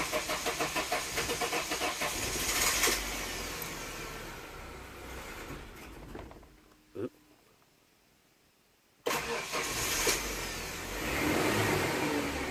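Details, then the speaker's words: 1996 Ford Ranger XLT just after fuel filter replacement with new old stock 1988 Mustang GT filter: long rhythmic cranking with no catch, a pause, then it fires and settles to idle; owner guesses the fuel pump was behind the slow start. "all right looks like it works but in the beginning you did see it took some doing to get it started again you know it took some doing to start"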